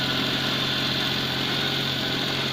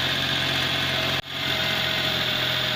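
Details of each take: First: 1999 Daewoo Matiz 796cc, just after cold start (new exhaust): steady even engine hum held at a fast unchanging idle, a little high; owner suspects cold idle not working and idle cranked up, unconfirmed. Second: 1999 Daewoo Matiz 796cc petrol, 88,000 miles, warmed up with new exhaust: small engine settles to a steady, even idle with faint exhaust buzz and no misses; normal warm idle, sounds more appropriate than the high cold idle.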